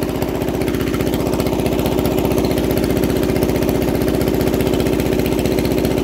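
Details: Onan 3.0 DJA single-cylinder generator set, unmuffled, first load test at 75–90% capacity after fixing AC output lead configuration and working around a faulty decompression solenoid: loud, steady even thump with no misses or knocks; normal running under load.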